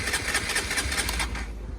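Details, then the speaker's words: Honda CBR125, about 13,273 miles, stripped and not run for a long time, in neutral: even starter churn at four to five beats a second with no firing; cranks but won't start. "that sounds pretty good so i'm gonna prime the um the fuel pump a few times and that'll just force some petrol into the um into the engine i think this bike will start pretty soon"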